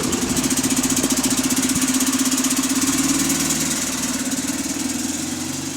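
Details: GAL SE88 bus on route 386, diesel idling and settling; fast light ticking about four per second whose frequency changes with engine speed, slowing as revs drop; cause unclear.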